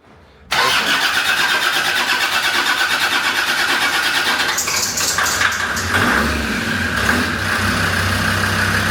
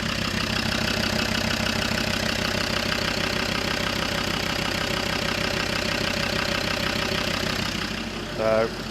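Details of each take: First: Land Rover Defender Td5 110 with a GTB450 turbo, first start on the dyno after fitting reconditioned injectors: cranks and catches, then a harsh clattery knock with smoke. Caused by diesel dropped into the cylinders when the original injectors were removed. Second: Land Rover Defender Td5 110 with GTB450 turbo, idling on its original injectors as baseline before fitting reconditioned injectors; steady even diesel idle with light regular clatter, no over-fuel knocking; normal idle.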